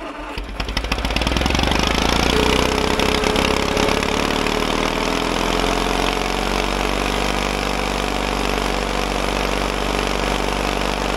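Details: Caterpillar dozer parked since 1992, gasoline pony engine after filing corroded breaker points: cranks, fires and picks up to fast even chatter holding steady; runs cleanly now spark is back.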